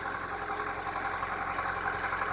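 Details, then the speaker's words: 1997 Acura Integra B18B1 automatic at idle: loud rapid diesel-like clatter throughout; suspected rod knock plus blown head gasket, with oil coming up, antifreeze smell and steam. "as you can hear there's something terribly wrong with this car and it's more than just the head gas"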